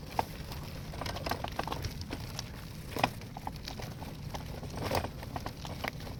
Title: Graco aire 4 xt stroller making clicking noises 2